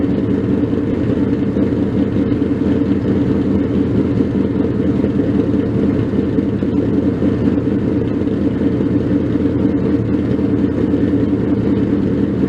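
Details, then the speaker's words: 302 stroker Ford Mustang V8, first cold start after the build: deep, steady idle with a slightly uneven lope from an aggressive cam, no knocks or ticks; normal cold idle. "so with that let's hear that cold start"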